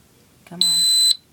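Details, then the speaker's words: Fire alarm panel unplugged from wall power: low transformer hum cuts out, then a loud steady high trouble beep as the panel goes to battery mode, power light blinking. "you know what I'll unplug it see it's not humming anymore and the power light is blinking which means it is in battery mode"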